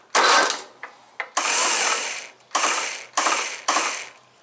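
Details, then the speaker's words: John Deere STX38, Kohler Command 13 hp engine, after refitting the starter spring clip: short harsh ratcheting bursts about every second, no engine catching; starter drive keeps getting stuck down; owner considers a washer underneath so it doesn't travel as far. "on well for some reason it keeps getting stuck maybe I need to put a washer underneath that uh so it doesn't go down quite as far"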